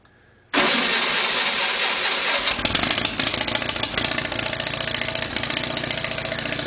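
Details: Case 646 engine that runs fine after setting the points gap to 0.020 but starts running crummy partway through a later run; fires up, then the beat turns uneven and lumpy, cause unclear.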